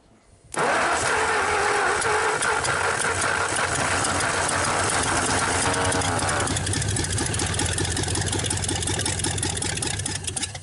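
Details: 1954 Ford Y-block 239 V8, first start attempt after 20+ years: steady fast cranking around three and a half beats a second, but it never catches or fires. It sounded flooded but may not be, and a plug was black.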